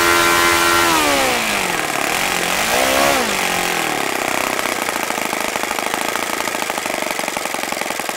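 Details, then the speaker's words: OS FS-95V four-stroke glow engine after rebuild, hand-started warm, 15% Omega fuel, 14x6 prop, OS F plug: crisp even buzz settling from falling revs to a steady fast note, no misses; nice running, easy to start. "this is a nice running engine it was very easy to start can't complain really"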